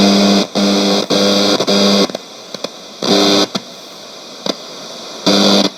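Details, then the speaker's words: c.1989 Hitachi MS-W600W twin-cassette boombox, just out of storage, on FM. Loud hiss cutting in and out in bursts with sharp crackles between them; no station is received. The band switch, volume and balance controls are very noisy, suspected grime or a fault. "Alright, the radio's not working. It sounds like it's trying to work, but between this switch being very noisy, the volume being almost, there doesn't seem to be any control on it."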